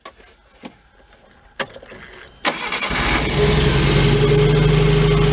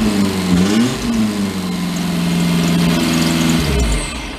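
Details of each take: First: 2008 Mag XT Chinese work truck with a dead miss, spark plugs checked on coil: a few clicks, then catches into a loud lumpy low throb, running on only the two middle cylinders. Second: 2008 Mag XT Chinese work truck after swapping plug wires, with all four hooked up: revs rise and fall smoothly with no misses, running on all four cylinders.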